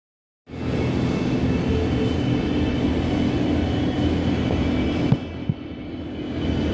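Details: 2006 Suzuki GSX-R 600 FSAE engine, rebuilt, with new battery and rebuilt starter, spark plugs installed: starter turns engine in a steady sluggish churn for about five seconds with no firing; slow cranking no-start, turns faster with plugs out.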